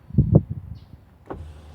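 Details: 2006 Ford F150 5.4L 3V 4x4, power window test: a couple of soft clunks, then a low, steady window-motor hum running evenly, normal window motor operation.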